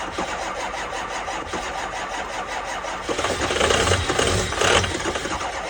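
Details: 2005 6.0 diesel, cold start at 15 degrees in New York, on two batteries and a jump pack: steady cranking at about two and a half compression beats a second, nearly catching midway, then falling back; cranks but won't fire.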